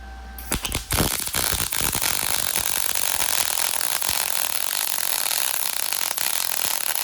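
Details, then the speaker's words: MIG welder powered through a Taramps 12k car amplifier, set to 18 volts: harsh popping crackle at strike settling into a steady hiss with occasional pops; arc sustains but is poor and erratic, possibly settings. "Okay, check that out. This thing laid a sustained arc. Not a very good one."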